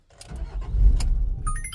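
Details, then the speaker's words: 2015 VW Amarok with P0016 hard-start and long-crank complaint after another shop's repairs: engine fires with a rough surge then dies within a second; starts then stalls, timing issue suspected. "See, it starts right up and shut right off."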